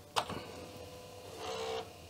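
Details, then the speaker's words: Commodore 1541-family floppy drive on 1541 diagnostics cartridge speed check after passing performance test; sharp click then quiet whir at one steady pitch, speed dead on; normal motor speed. "oh yes this is dead on very nice"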